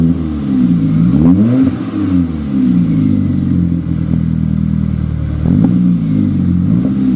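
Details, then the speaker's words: 2000 GMC Sonoma 2.2L I4 with a newly installed Magnaflow dual exhaust, idling and revving; deep four-cylinder burble climbs and falls cleanly through throttle blips; sounds pretty good, not ricey. "so far it doesn't sound too ricey it actually sounds pretty darn good a nice deep rumble uh it has a little bit you know it has the four cylinder sound that's nothing you can get rid of"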